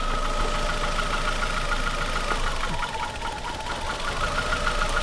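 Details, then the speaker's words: Cheap used car idling with coils pulled one at a time: steady ticking knock a few times a second that persists through every cylinder drop and fades when revved; not rod knock, likely not bottom end. "if the knot goes away at any time you pull a cylinder that means it's a rod knock it doesn't go away it's not a rod knock related"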